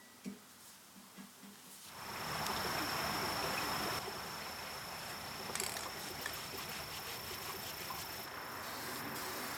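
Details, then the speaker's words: 1961 Buffalo No. 15 drill press before rebuild: spins up with a rough, hissing grind and a thin steady high whine; spindle bearings completely shot, to be replaced. "as you can hear these bearings are just completely shot so I'll replace those"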